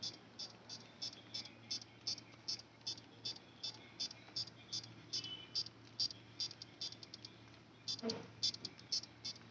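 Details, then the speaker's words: Buzzer-based remote control tester: quick, high-pitched chirps repeat two or three times a second while any remote button is held, showing the remote is sending its signal normally. "मैं कोई भी button दबाऊंगा ना तो वहां से P P P P P sound सुनाई देती है।"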